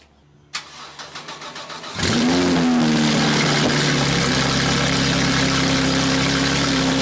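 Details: Porsche GT3 RS that had been misfiring, first start right after new spark plugs and coil packs were fitted. A short, quick crank catches at two seconds and settles into a smooth, even, steady idle with no stumble; it is running healthy.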